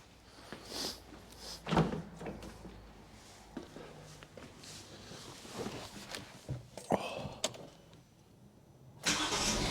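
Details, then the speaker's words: 2012 Kia Picanto 1.2 petrol, about 54,000 miles, starts and idles after all four spark plugs were replaced; the engine catches quickly and settles into a steady idle, then takes a light rev with no stumbling or misfire and runs fine. "oh yeah that sounds good I'll just give it a little rev all sounds good it's not misfiring"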